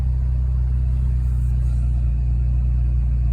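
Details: 2006 Scion xB, 1ZZ-FE four-cylinder petrol with larger injectors, 63mm intake and shorty ram air, started cold in open loop: low smooth even idle rumble, no knocks or misses; normal cold idle.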